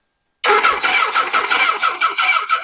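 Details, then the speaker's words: 1979 Suzuki GS1000: steady starter cranking that never catches, with no spark on cylinder 4. "so we currently have no spark at all on cylinder 4K"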